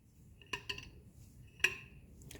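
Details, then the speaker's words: 1985 Mercedes 300TD fuel level sending unit, removed from tank and reassembled, shaken by hand: light metallic clinks and ticks as the bobber float swings freely, no sticking or scraping from diesel gunk. "tighten that back down all right that's it and again you can hear the bobber hear it"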